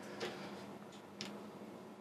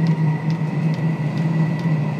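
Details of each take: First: Diesel heater that has never worked despite new controller and ECU, glow plug on: low fan hum with soft pump tick about once a second speeding up, white smoke but no burner roar; not igniting, blocked exhaust suspected. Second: Previously non-lighting diesel heater run at maximum, pump at four hertz: steady low burner roar with light fuel pump tick about twice a second, glow plug off, combustion self-sustaining; normal running.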